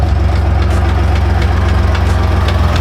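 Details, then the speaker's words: Truck engine at idle just after start, oil additives added: regular low flapping beat about three times a second as the serpentine belt slaps on a wobbly harmonic balancer pulley. "That sound you hear is my belt. I have a wobbly harmonic balancer pulley. So, the belt is slapping against it."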